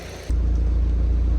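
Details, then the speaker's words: MK1 Audi TT after replacement ECU fitted for a no-start, not run for a while: once it catches, steady, deep, even idle with no misses or knocks and no smoke from exhaust. "I'll tell you what, sounds good. No smoke coming out the back."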